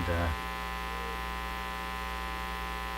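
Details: National HRO-60 communications receiver audio tapped through phono leads to a signal tracer: a loud, steady, low mains hum drowns out everything, so no signal can be heard. The same hum comes from the speaker, and its cause is not yet found.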